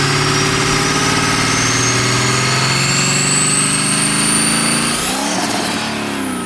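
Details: Diesel-swapped Mustang with newly installed turbo, first start after fitting: steady, even diesel idle with no knock or turbo whistle, then a clean quick rev rising and dropping smoothly; engine and turbo healthy.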